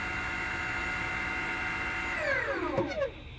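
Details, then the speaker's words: Repaired Cellbee underwater scooter that would not charge or run, board reconnected and switched to single-hand mode: steady, even electric motor whine for two seconds, then winds smoothly down as it stops; running normally. "Now it's in single hand mode. There it goes. The unit's running."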